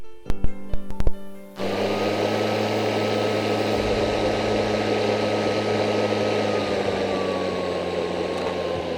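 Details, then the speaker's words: Greenworks dual-battery 60 V cordless electric lawn mower, blade engaged with turbo boost button on: a few clicks then a steady electric whir with faint high whine as RPM rises; running normally. "you saw when I pushed that turbo button, the engine revved up, gave me more RPM so I can kind of cut through that heavier grass."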